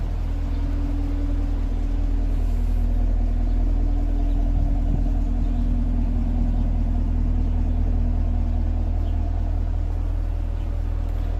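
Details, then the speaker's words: Brand-new direct-injection car at idle: a light, even tick about three times per second over a low rumble, most audible low on the engine. The dealer checked it and said it is normal noise, put down to direct injection. "but still you know you're spending this much money on a car you would hope it wouldn't tick and it just does cuz the direct injection so it's kind of loud"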